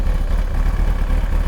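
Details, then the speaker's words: Kawasaki ZX-9R after oil and filter change with about four liters, choke off, slightly warm: steady, even low idle with smooth quick exhaust beat, no knocks or rattles; normal idle. "sounds good it's always a satisfying satisfactory it's always a satisfying feeling after you've done an oil change on a motorcycle or a car and you start it up for the first time knowing that it's got fresh oil pretty pretty sweet"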